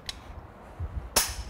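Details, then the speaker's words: Snap-on click-type torque wrench set to 90 ft-lb tightening a car's wheel lug nuts: a single sharp click after a short pull, the wrench releasing at its set torque as intended. "will hear an audible click when the click is heard that means the required torque has been achieved this tire is now properly torqued on"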